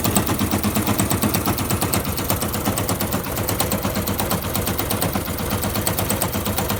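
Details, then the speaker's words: Fuel-injected Yamaha YBR125 with new piston and barrel, clutch basket checked: fast, even machine-gun knock about three times a second at idle; owner suspects a bad engine, cause unknown. "i suspect it's a bad engine i'm not sure if there's a knocking noise coming from it"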